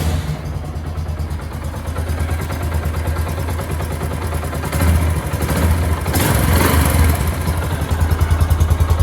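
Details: Yamaha YBR125 single-cylinder motorcycle idling and revving after exhaust seal replacement at the head-to-silencer joint: even, steady exhaust beat, no puffing or ticking, smooth normal sound.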